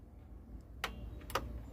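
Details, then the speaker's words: Panasonic AKX-220 car stereo that won't turn on, under voltage testing: single soft click of the power-supply relay at switch-off, then silence, supply input returning to 14 V; relay dropping out normally. "aí desligou Vocês ouviram o barulho do relinho aqui da fonte também desligou"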